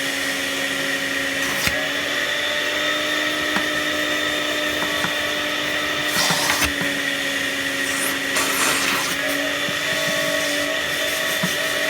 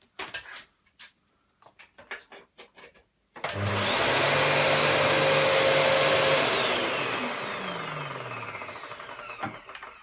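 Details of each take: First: Panasonic MC-UG304 2000 W upright vacuum cleaner, completely clogged: a high, strained steady whine over an unchanging hiss, choked airflow from blockage; debris later found includes a plastic bag, matchsticks and receipts. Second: Panasonic MC-UG304 2000 W upright vacuum cleaner after disassembly and cleaning out the clog: after handling knocks the motor spins up to a strong, steady whine with even airflow, then settles, healthy running.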